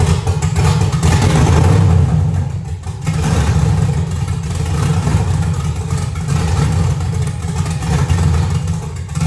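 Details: LS V8 swapped Chevrolet S10, running again after fixes, tune still being worked on: deep muffled burble with a couple of blips then settling, firing evenly with no miss; normal start and idle.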